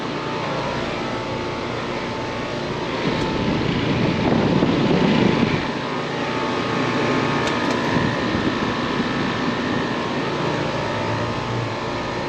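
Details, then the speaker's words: AC condenser just after replacing the swollen failed 45/5 run capacitor: steady fan whoosh with a low compressor hum, no knocks, rattles or surging; the unit is running normally again. "Alright, look like it's running good. I'm gonna go ahead and check pressures while I'm here."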